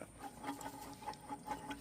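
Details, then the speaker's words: 1995 Chevy Caprice Classic water pump, removed and turned by hand: quiet gritty ticking about five times a second and a rough feel. Owner suspects the pump is bad, possibly from overheating, and plans to replace it. "So, apparently that might not even be good, to be honest with you. That sounds a little rough."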